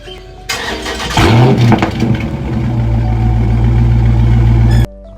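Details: Dodge Charger/Challenger engine cranks and fires with a brief squeak from the active exhaust valve as it starts, then settles to idle. The fix is lubricating the valve with WD-40 Specialist dry lube with PTFE.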